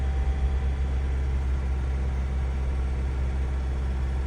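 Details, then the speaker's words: 2003 Honda CR-V with codes P0505 and P1505 pending. IAC valve replaced twice, idle relearn done, hoses changed, no vacuum leak found. Idle hangs near 2,000 rpm with a low, wavering hum and surges when the steering wheel is turned; cause unknown. "Also, if I move this, if I move the steering wheel, starts going crazy."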